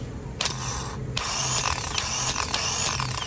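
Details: New starter for 1998–2010 Honda Accord bench-tested with jumper pack: clicks in and spins with a fast, thin whine and no grinding, normal, unlike the old starter which ground loudly, causing intermittent no-start.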